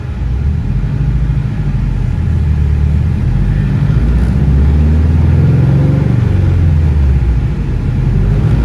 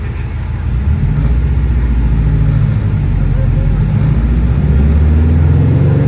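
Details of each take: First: Car on dyno full-throttle pull after new ignition coil fitted on cylinder four; deep even roar, no stumble or popping, misfire fixed; about 323 wheel horsepower and about 300 torque. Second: Car on dyno at full-throttle pull while logging per-cylinder roughness; deep drone climbing with uneven lumpy pulses, misfiring heavily; log shows cylinder four very rough, traced to a bad ignition coil.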